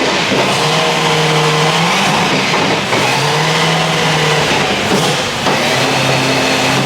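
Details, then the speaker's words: S65-powered BMW E30 M3 track car with newly fitted Drenth DG500 sequential gearbox: revs climb in steps with short breaks at each shift, pulls cleanly through all gears and reverse, linkage works; healthy sequential gearbox. "yeah all gears and reverse and reverse the linkage works it feels great"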